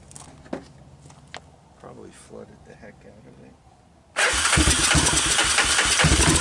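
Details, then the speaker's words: Honda TRX250 ATV with apparently new (clone CV) carburetor, first start on starting fluid with diesel-contaminated fuel: catches abruptly and runs loud and ragged, "doesn't sound great"; rough running from diesel-contaminated fuel. "okay it seems to be running on starting fluid on look strange started doesn't sound great does it"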